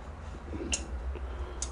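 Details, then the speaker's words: Yamaha Virago 125, crank turned by hand in the running direction after setting the cam chain timing: two sharp light clicks as the cam chain tensioner ratchets out to take up slack, which is normal. "En même temps, on entend le tondeur faire son travail, hein. Il finit de tendre la chaîne, hein."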